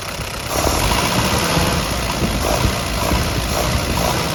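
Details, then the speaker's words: 1952 Willys CJ5 F-head engine with a new Universal Daytona carburetor, after plugs, wires and distributor were redone, holds a deep, even, steady idle with no knocks or stumbles; engine running well. "plugs, wires, distributors refilled, and sounds like it's running pretty well."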